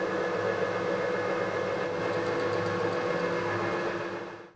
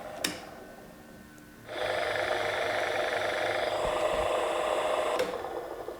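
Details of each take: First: Harrison HS178 universal milling machine table motor running after new bearings and a new gearbox base seal; 0.8 mm gasket gave too much end float, 0.3 mm gasket being tried. Smooth, even mid-tone hum winding down, no grinding: healthy bearings. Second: Harrison universal milling machine (HS178) table motor, removed and run: steady whirring hum with a coarse, gritty roughness underneath; worn motor bearings, to be replaced.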